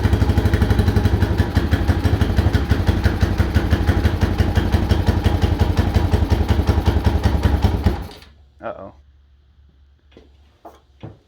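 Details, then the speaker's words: Mojave 250 first start after timing chain replacement, filled with oil: single-cylinder thump at a steady, even beat with no rattle or tapping until shut off; normal idle. "does it seem like it's off time maybe it sounds like it's running okay"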